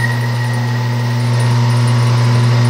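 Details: Water pump motor (about 1.5 hp, uncertain) drawing around 19.6 A on an ammeter gives a loud, heavy mains hum with irregular sound and hard starting torque; it overheats because an oversized start capacitor was fitted.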